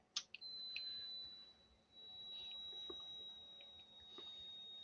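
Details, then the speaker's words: Thin, steady high-pitched electrical whine from one of four motherboards being recapped, powered on in a quiet room; the squeal suggests a fault, but its source is not pinned down. "Okay. So, it's squealing like a stuck pig when I >> as in it's like making squealely sort of electrically squealy. >> High pitching noise."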